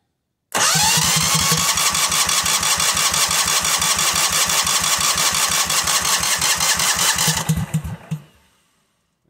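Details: Cub Cadet 2130 garden tractor with water and rust in fuel system, suspected fuel pickup issue, non-working choke: even rapid cranking chuffs about three per second for seven seconds, never catches; hard starting, cranks but won't run, cause unconfirmed.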